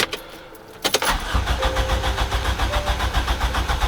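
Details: Compression test, gauge in second cylinder, cranking with the key: even cranking at about four beats per second, every stroke equally strong; healthy, reading 148–149 psi versus 155 psi on the first, within about 20 psi.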